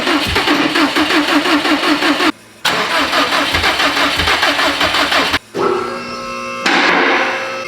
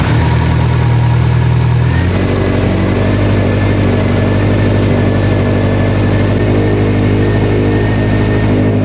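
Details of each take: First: Built Subaru STI engine on first start: even, quick starter cranking in bursts with a loud bang, never catching; timing sounded off because the passenger-side ignition coil wiring had cylinders 1 and 3 swapped. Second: Built Subaru STI engine first start after fixing swapped cylinder 1 and 3 plugs: catches, settles from high fast idle into steady even lope, no knocks or misses; 90 PSI oil pressure, small coolant leak at manifold-to-up-pipe.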